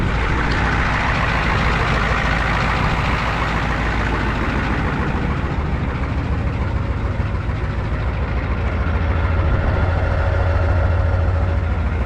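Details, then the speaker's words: 1994 Ford crew cab diesel, running after cranking and bleeding air from the fuel system: deep, loud, unmuffled idle rumble. The roughly 3-inch exhaust is cut off, likely at the Y or downpipe, to be fixed all the way back. "The exhaust is cut off. Exhaust will get fixed. I think it's 3 in. So, I think it's cut off right right at the Y or the downpipe."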